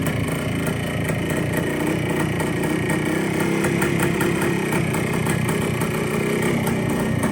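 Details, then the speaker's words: Long-stored 1973 Kawasaki 175 two-stroke, sitting since the mid-80s, revived after carb cleaning: even, crisp idle with steady rapid popping, no knocks, rattles or excessive noise; top end sounds good, throttle cables still stiff. "But it sounds good. No excessive noise. Top end sounds good. Riding nice."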